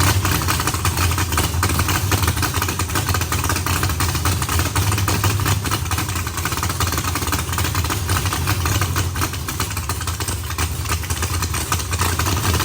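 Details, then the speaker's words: Freshly built carbureted V8 race car first start before dyno: deep, steady burble holding an even idle with no misses or knocks; idles fairly decently but idle still needs tuning. "guys it has been a long few days but hearing that just made it all worth it we obviously have a little bit of work to do getting it idle good I got an idle and fairly decent but I still got to play with a little bit"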